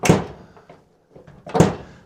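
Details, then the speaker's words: Squarebody Chevy/CUCV truck door: two dull thunks, door latches without fully closing; worn door striker lets the latch catch short, fixed by installing and adjusting new striker bolts. "But like this one, you open it up, you close it, it's not closed, but it's latched. Yes, I talked about it in a different video, and you hear this click, that funk."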